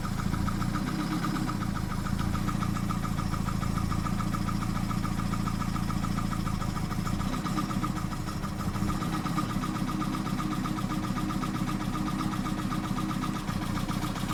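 Four-cylinder idle sounds uneven, with a lumpy, stumbling beat and slight dips rather than a smooth hum; rough idle, cause not yet found.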